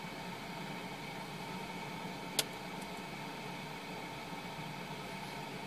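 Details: Basic household refrigerator bought new November 2007, after replacing defrost timer with SUPCO solid-state timer, in cold cycle: quiet steady hum, faint constant whine, one light click; compressor running normally, timer working.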